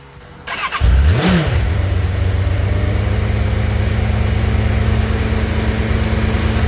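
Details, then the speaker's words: Cheap motorbike obtained by trading in a 125, 36,470 miles on the clock, cold start on choke: cranks, catches within a second, settles into a steady slightly high choke idle with gentle blip; not revved much, starts and runs cleanly. "that was a bit of a start with the choke on from a cold start so I can't rev it too much plus I don't really want to annoy my neighbors by ring that thing but it sounds like it runs good"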